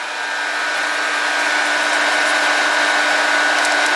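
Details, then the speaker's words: Project HEEP electric cooling fan after a relay was wired in and the polarity reversed so it now blows the right way: constant airy whir with a smooth hum and no rubbing, rattling or scraping; normal operation. "and you guys can see that it's going the right way now blowing our little slip of paper in the right direction"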